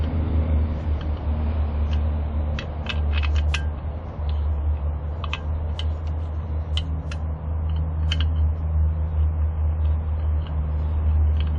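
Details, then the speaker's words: Moon Cool TK1 folding e-trike riding on pedal assist 1 with steady wind and road rumble, only light scattered ticks and no rattle after tightening the rear fender screws that had been causing the rattling. "but just tighten them down and this Fender sto making a Rattle and the noise so just take these screws that's all you have to do"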